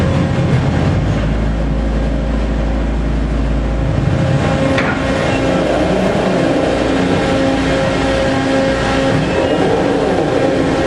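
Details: Phoenix Omag cuber during travel: steady mechanical hum and motor drone with a few sharp isolated pops; not a mechanical issue, machine settings change how often it happens but cannot eliminate it.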